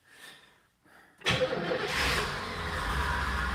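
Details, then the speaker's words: V8 car, first start in 30 years, running on fuel poured into the carb: clicks, then catches abruptly into a rough, loud idle; choke with diaphragm not closing as it should. "it's running it ran [Laughter] come on baby the choke isn't closed unfortunately that choke needs to be closed i don't know why it's not sucking it shut"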